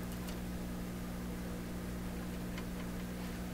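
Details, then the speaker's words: Pye 39HC shortwave broadcast tube receiver, played at full volume on the shortwave band before any tube replacement: steady low mains hum and faint hiss, no stations received; scope shows only hum. "Nothing happening there. Not a sound."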